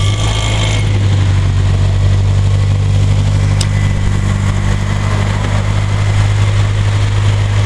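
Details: S14A engine at a steady petrol idle with a faint, uneven knock under the low drone; the cause of the knocking is not identified.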